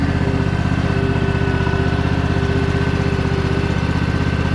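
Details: Free Craftsman DLT3000 lawn tractor with its factory Honda 16.5 HP engine, started on choke with the air filter off: a steady, even, quiet low thump with no misses. Normal idle; may still need a carb clean.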